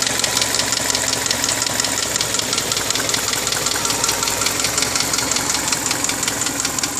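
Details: 2002 Subaru Forester, 333,000 km, meticulously maintained: light, fast, uneven ticking knock over the idle, about three per second; owner asks if it is piston slap, cause uncertain.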